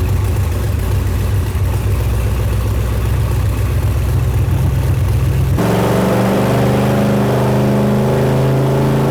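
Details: Built all-aluminum 5.3 L LS Chevrolet V8, bound for a 1999 Porsche 911 swap, on the dyno for the final full-throttle pull: loud roar at high revs, then a lower steady drone, even pull with no misses; made 299.8 horsepower.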